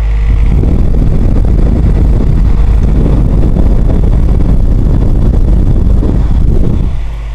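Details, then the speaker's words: Trash-picked ceramic heater converted into a centrifugal fan, switch in the lamp cord, one blower slightly off balance: strong steady rush of air with deep rumble for about seven seconds, then drops away; normal blower running. "there's a little bit of off balance on one of the UM one of them blowers this thing it really throws some air I kid you not have a listen"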